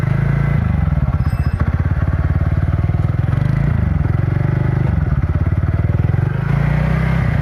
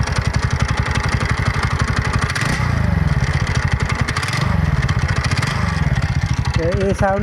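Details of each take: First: TVS NTORQ XP BS6 scooter engine running with a steady, even putter rising and falling smoothly with throttle, no rattle or clatter; sounds fine after loose self-start bearing nut, which had caused the noise, was addressed. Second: TVS NTorq XP BS6 scooter idling with a hard, chattering clatter on every firing pulse over the exhaust; cause is a loose starter (self) bearing nut.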